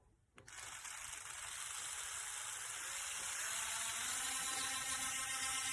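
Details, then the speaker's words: HARDELL mini cordless 3.7V 5-speed rotary tool, freshly charged, bit fitted, free-running. High thin whir spins up and holds with a faint fast rattle at about 3–4 a second; it sounds funny: abnormal running noise, cause unknown. "Just to say it has a fresh charge. I'll put this bit in it. And I will fire it up. You'll hear it sounds funny."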